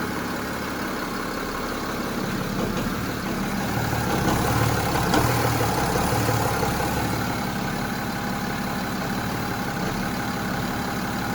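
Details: BMW X3 SD E83 diesel, 16 years old, at start-up: revs dip for milliseconds with a faint regular knock or rattle from the left side of the engine, only when starting, then rough idle; cause unclear.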